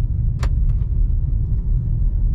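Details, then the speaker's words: Nissan Rogue after replacing front strut mounts and bearing plates for a clunk: driving over a speed bump and slow turns gives only low road rumble, no creak or clunk; normal suspension. "i hear no creaky noise beautimist"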